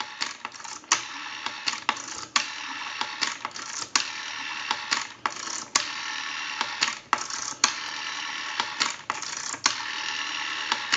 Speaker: so if you watch the analyzer you'll watch the numbers roll by we have a nice smooth return